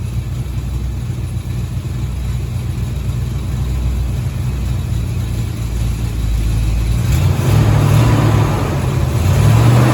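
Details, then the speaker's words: 1983 Chevy Silverado after a deer strike: low rumbling idle with a loose buzzing rattle that clears as revs rise. The downpipe touches the transmission, only when hot; an exhaust leak was also found. "oh yep right in the center of the screen the downpipe is touching the transmission and it only does it when it gets hot"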